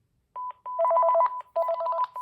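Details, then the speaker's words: Panasonic KX-TG5438F 5.8 GHz rugged cordless phone, thrift-store find in good condition, initial checkout: loud clean two-note electronic warble repeating in short bursts, likely volume turned all the way up; intercom page tone works normally. "It's pretty loud. I'm guessing it's turned all the way up."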